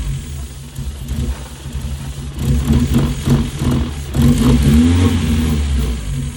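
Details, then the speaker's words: Mazda Miata on its first test run after an engine swap: a lumpy, uneven idle that stumbles on throttle blips. It sounds like timing is off 15–20 degrees, with the valve cover removed next to verify. "sounds like the timing's off by like 15, 20 degrees."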